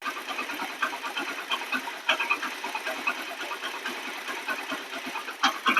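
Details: Hero Splendor Plus at idle after the faulty valve tappet adjustment screw and nut was fixed. A light, even ticking patter with no loud valve clatter; the earlier heavy engine noise is gone and it sounds healthy.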